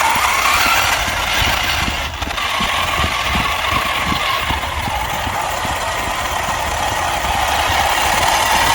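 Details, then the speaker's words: Arrma Mojave 1/7 scale RC trophy truck, after overhaul with replaced rear output gear, unused over a year, driving: rough grinding with uneven ticking about three to four times a second; drivetrain noise, motor or gears suspected, cause unknown. "It does not sound happy, does it? But what can you do? Send it. It's definitely not standing healthy now, so I think we need to try and figure out what's up with it, whether it's the motor or what it is, but it's not sounding the healthiest, is it?"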